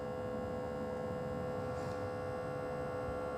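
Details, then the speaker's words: Andeman JS-108B smoke leak detector powered on to diagnose a small EVAP system leak on a Gen 1 Toyota Sequoia 4x4: steady low hum with a fixed buzzing pitch, no rattle or surging, as the pump starts; normal pump operation. "So, we're going to put on the power. Can hear the pump starting, which is good."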